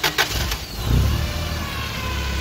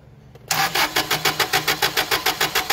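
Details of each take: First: Toyota 8 Series 5,000 lb LPG forklift (ECS engine) with a long-crank hard-start problem, cranked with the injector hose reconnected and the pressure gauge removed: brief cranking, then it catches and settles into a steady, low, even idle with no stumbling. Normal start and idle. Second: Toyota 8 Series LPG forklift, 4Y-ECS engine: starter cranks in even, fast strokes for nearly four seconds, firing only once slow-path solenoid pressure (spec 3.5–5 psi) drops to zero; long crank from excess fuel.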